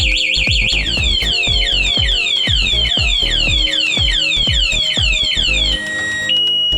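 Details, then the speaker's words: New GPX Drone scooter with an MAS anti-theft alarm, ridden off by someone else and then the remote unlock button pressed: loud repeating falling chirp siren, about two sweeps a second, then steady tones, and the engine soon shuts off; alarm triggered. "ผมได้รับปลดล็อคอย่างเดียวด้านซ้ายมือนะครับรถจะลองสักพักรถก็จะดับไปรับด้วยนะครับผลแล้วครับ"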